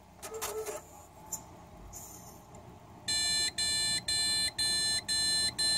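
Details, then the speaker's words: ASUS Sabertooth Z77 desktop PC with 8GB Corsair Vengeance RAM installed: after power-on, six even high-pitched beeps, about two a second; it won't get past POST, which turned out to be a motherboard failure. "six is the beeps that I was referring to that's what I'm commonly getting as the air it's not letting it get past post"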